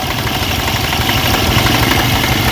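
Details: Honda Vario automatic scooter idling: a fast, uneven "kletek" metallic clatter that smooths out with more throttle; the CVT and front pulley are being checked.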